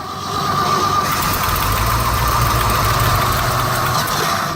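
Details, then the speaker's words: Old Ford F-600 truck cold start at -22°F: engine catches on ether starting fluid with rough, uneven roar for a few seconds, then fades and stalls. "Oh, the Bendix loves that. Oh, she went. See if she'll go again."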